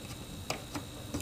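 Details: PS2 fat after repair: the bent laser rod clamp/plate now holds the rails tight. Only a few soft, light clicks as the laser sled moves, with no grinding or skipping teeth.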